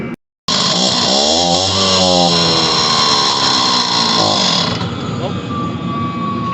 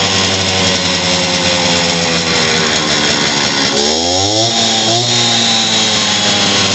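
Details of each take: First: Stihl TS400 cut-off saw two-stroke, just after carburetor repair, new air filter and tune-up: catches and revs raggedly with wandering pitch, then dies within seconds; owner suspects loss of spark, to be checked with a spark tester. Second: Stihl TS400 two-stroke concrete saw after carburetor kit replacement and new spark plug, bad old plug having caused it to die: crisp high-rev buzz, brief dip, picks straight back up without stumbling; running cleanly.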